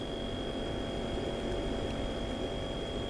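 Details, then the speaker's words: Dometic CF-18 12-volt compressor fridge, installed in a van and currently running, mic placed right by the compressor: quiet, steady low hum with a faint whine and fan air hiss; normal smooth running. "It's actually really quiet when it runs. You really have to listen for it. It's just a very, quiet hum."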